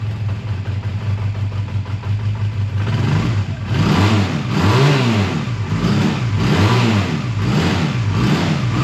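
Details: A 2001 Honda Rebel idles steadily, then takes throttle blips that rise and fall cleanly and settle back, after a choked cold start at 22° that stalled once and a suspected minor fueling problem; tired but runs good; normal idle and revving.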